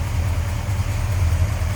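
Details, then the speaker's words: 1967 Dodge Coronet R/T, stock 440 V8 (believed rated 375 hp) with 727 automatic, factory AC, power steering and brakes, heard in engine bay: deep steady burble, even firing, no knocks or misses; smooth normal idle. "Smooth runner, sounds good. With Mopar horsepower, 375, I believe these were rated back in '67."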